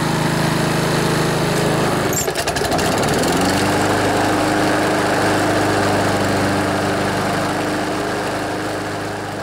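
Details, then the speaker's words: Older Honda Harmony HRB215 lawnmower, warmed up after carburetor cleaning, choke off, air filter removed: engine revs from idle but levels off, never reaching full governed rpm; fix is tightening the governor spring. "so if you noticed even when I revved it up it didn't rev up all the way"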